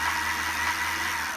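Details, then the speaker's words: 1990s Sinclair Zike electric bike rewired with relay replacing control board, two motorcycle batteries in series for 24 V: steady hub motor hum with even whirring hiss, no surging or grinding; slow first minute, then speeds up, owner suspects brush warming. "the first sort of 30 seconds to a minute it's slower, and then gradually after about a minute it gathers up a lot of speed. You suddenly hear it going."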